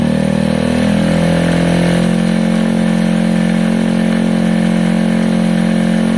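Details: KSR Moto GRS 125 single, first start after valve adjustment, timing and timing chain tensioner work; steady, even thump at about four beats a second with no knocks or rattles; idling cleanly.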